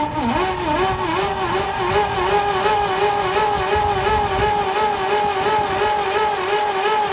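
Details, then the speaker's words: Pontiac Fiero long parked, engine filled with oil to prevent seizing, just broken loose: starter labours with a slow, wavering whirr, about three compression pulses a second; cranking too slowly, cause unconfirmed. "I'll tell you what, though, the thing's not spinning over very quick at all."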